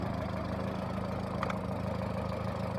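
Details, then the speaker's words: Engine misfiring at idle: steady idle with a faintly uneven, lumpy beat; the engine is missing but not overheating, scanner showing 72; cause not yet found. "se alcanza a apreciar no se alcanza a apreciar está fallando pero no se calienta"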